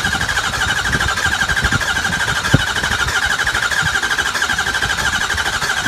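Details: 2003 Ford 6.0 diesel with the HPOP replaced and the IPR and FICM checked OK: steady starter whir with a rhythmic cranking pulse about three per second, but the engine never fires; cranks, won't start.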